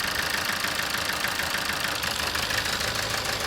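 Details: 2007 Toyota Avensis D4-D diesel with low power, ticking noise and an intermittently flashing engine light; hard, rapid clatter at idle, about three knocks a second, still present as each injector is unplugged in turn, diesel knock.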